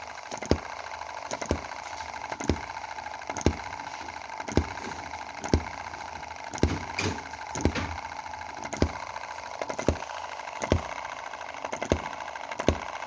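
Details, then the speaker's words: M19/EM2 Chinese model hit-and-miss gasoline engine after cleaning the carb and spark plug and moving valve timing one cog tooth: sharp firing pops about once a second with coasting gaps; powerful firing with only occasional misfire. "there's still the occasional misfire but we've got quite a powerful long firing [miss cycle] which i'm really happy with"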